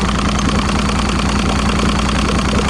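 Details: 2006 Evinrude 90 E-TEC outboard with fuel pressure down: steady low idle, even pulse, no misses or surging; idling normally.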